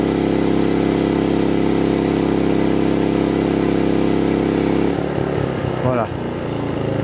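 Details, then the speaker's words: MaXpeedingRods MXR3500 portable inverter generator dropping from load back to idle: steady even hum settling lower and quieter, voltage 234.8–235 V at idle; running smoothly with no faults. "on est à 234 volts 8, 235 volts au ralenti."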